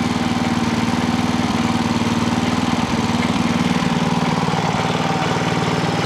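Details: Clarke generator with Briggs and Stratton engine, after governor repair for over-voltage, low on fuel: even, steady fast beat holding speed without hunting or surging; governor working, max rpm still to be set with voltmeter.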